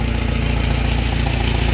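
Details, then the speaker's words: 2012 Chevy Cruze 1.4L turbo idling on its first start after a head gasket job, still burning off oil: fast, sharp puffing tick from an exhaust leak where a clamp broke in half, right by a coolant hose. "I got an exhaust leak. My clamp broke in half back there. I can definitely hear the exhaust leak."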